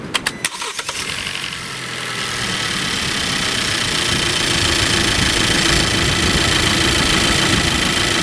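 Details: Engine cranks, starts and idles with air conditioning and all accessories on after serpentine belt service; no squeal or chirp, belt running quiet before tension is rechecked; quiet serpentine belt.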